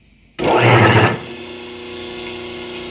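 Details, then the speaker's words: 5 hp three-phase motor on 220 V single phase, balanced with run capacitors (72 µF lines 1–2, 36 µF lines 1–3) plus 450 µF start capacitor: short loud surge at switch-on, then soft, even, steady hum; running smoothly. "Now the engine sounds softer, already we have three capacitors and a capiacitor of start"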